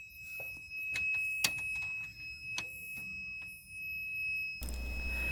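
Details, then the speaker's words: BMW E36 whose idle drops as it warms. A multimeter on the camshaft sensor signal wire to positive holds a steady high continuity beep amid clicks. The owner found all sensors read this way, so it is normal. "Bueno, entonces pues ya cuando yo escuché ese ruidito, ese ruidito es un es el ruido de continuidad en el multímetro porque yo lo tenía conectado al alambre de señal del sensor de los árboles de levas a a un positivo, ¿no es cierto?"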